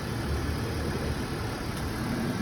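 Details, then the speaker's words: 2013 Audi at city auction, started right up with no jump, moved forward and backward in gear; quiet smooth low rumble, steady even beat, no rattles or knocks; sounds pretty good, healthy idle. "Started right up, no jump needed. Put it in gear, move it forward and backward. Sounds pretty good, very quiet."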